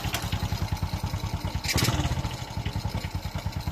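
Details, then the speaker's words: Honda XRM 125 single-cylinder, over 13 years in service, idling after rebore that cured heavy white smoke: even steady pop-pop idle, no misses or knocking, no smoke left; residual smoke would be exhaust-pipe oil. "Ang layo na pagk guys Wala na talaga siyang usok"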